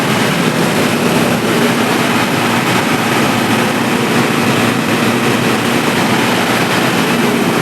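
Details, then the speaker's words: Three-phase generator on auto panel after fixing protection-mode beeping, mains supply switched off so it auto-starts and supplies output via relay; steady even drone with no knocks or surges under load, normal running. "तो दोस्तों इस तरह से हमारा जैसे ही supply out किया है relay का टॉट ले लिया और ऑटो में भी हमारा जनरेटर चल के सप्लाई आउट किया"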